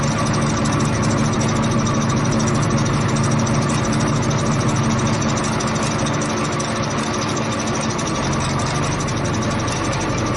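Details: Repaired ten-cylinder diesel engine on a test run after fuel pump installation: dense, steady clatter with an even low rumble, no misses or loud knocks; healthy running.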